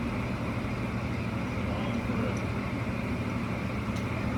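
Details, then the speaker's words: Car engine after replacing spark plugs, correcting timing and fixing an intake manifold leak (a plugged oil line to the overhead valves was fixed earlier): even engine and road hum at cruising speed, valves barely ticking; normal running. "Overhead valves, you can't really hear them ticking along. Well, you can, but you have to really listen for it. And when the car is moving really fast, it's very quiet."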